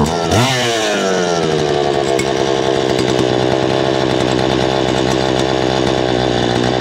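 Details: Poulan Pro two-stroke chainsaw, owned about 12 years, cleaned up for a new season with its air filter cleaned and refitted, oil pump being checked. Catches with a quick rev, then a steady, even high buzz with no misfire or surging: healthy.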